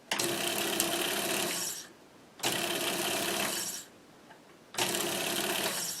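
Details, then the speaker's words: Monroe LA-5 motorized mechanical calculator, first run in decades: motor runs in roughly two-second bursts with a rough, raspy buzz; sounds like it is dragging on something, cause unknown. "That doesn't sound too bad now. Sounds like it's dragging on something"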